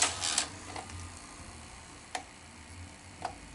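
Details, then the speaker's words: Sony SL-330 Betamax VCR with cassette loaded, which rewinds poorly; sharp light clicks at uneven gaps from the tape transport, owner suspects a failed take-up idler gear. "But you're still getting that issue. So, I do believe that the issue is with the take-up. I think the idler gear has failed on this one."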